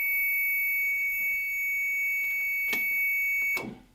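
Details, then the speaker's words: EZ-Rider transit bus with reflashed ECM, key on and put into drive: continuous high, piercing buzz then cut off, the low air pressure warning buzzers for the brakes. "I do apologize for the loud squealing noise that's just the warning buzzers for the air pressure"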